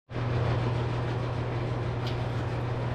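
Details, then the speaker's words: Bosch Nexxt DX washer WFMC4300UC/01 showing red E04 error on drain cycle: steady rough drone with gritty, rasping edge, sounds like gravel at the pump/filter area; drain pump suspected as the cause and later replaced. "fortunately my pump sounds awful as you guys heard it sounds really rough so I'm guessing it's probably pump"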